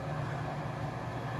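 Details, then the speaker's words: Bathroom exhaust fan running with weak suction, barely holding a tissue against the vent: steady low, sluggish hum; dirty or not spinning fast enough, blades later scraped clean to improve airflow. "we've had an issue with the fan it seems like it's not um sucking hard enough or blowing the exhaust hard enough out of the vent"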